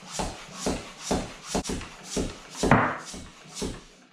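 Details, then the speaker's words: Mountain bike tubeless tyre set up laid flat and inflated with a pump: rhythmic strokes about twice a second with a couple of sharp pops as the bead seats onto the rim, showing a good connection. "So that popping noise you may hear is basically the bead sitting onto the rim. So you know you're getting a real good connection between the two."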